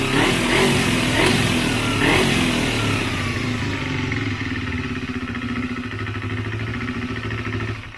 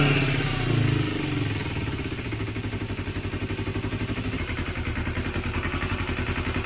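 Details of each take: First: Motorcycle after a second carburetor cleaning and makeshift synchronization, idle raised: starts on touch and idles fairly evenly, but revs take several seconds to drop after a blip; owner suspects an air leak. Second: Motorcycle just started after a second carburetor cleaning with a home-made cleaner (cables not yet fitted; it previously died on quick throttle): fires and settles into an even, pulsing idle with steady firing beats; normal running.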